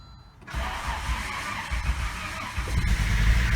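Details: 1995 Volvo 850 T-5R, first start after sitting 15 years in the Arizona desert, with a new fuel pump, timing belt, water pump, hoses and other parts: brief cranking, then it catches quickly and settles into a steady, throaty rumble without smoke.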